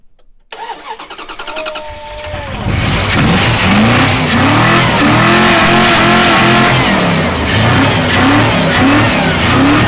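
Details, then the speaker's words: Junkyard turbo Buick Riviera jump-started with a 1200A portable jump pack after its battery proved dead: brief cranking, then the engine catches and keeps running, smoky with some uneven revving. "it started it is smoky is that thing fired right up yeah it works"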